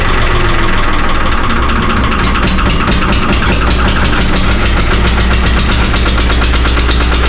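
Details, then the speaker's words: 3-cylinder Lister diesel in a former Rotterdam harbour boat, just started cold after 8 litres of water were pumped from the flooded engine: heavy clatter with rpm hunting, needs much throttle; owner suspects air in the system. "So, my plan is now to let it warm up a little bit because it's not happy. That's for sure. I have to give it a lot of throttle to let it work somehow. So you can hear the RPM changing and we're standing here so it's searching."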